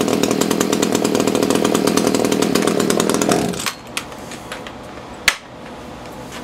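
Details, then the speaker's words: Echo CS-330T top-handle chainsaw, unused for years, hard to start, leaks oil: screams at high revs with ragged, uneven buzz then drops away; seems starving at high speed, high-speed adjustment turned out, likely needs carb kit. "turn that high speed adjustment out a little sounds like it's starving at a high speed"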